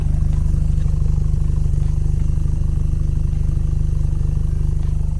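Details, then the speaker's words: Mazda ND Miata with Tomei axle-back and GWR midpipe that don't line up, leaving a big gap: steady idle with a sharp, even puffing about three times a second, exhaust leaking at the muffler joint. "also if you guys listen closely you can hear a big leak coming from the muffler if you guys can hear"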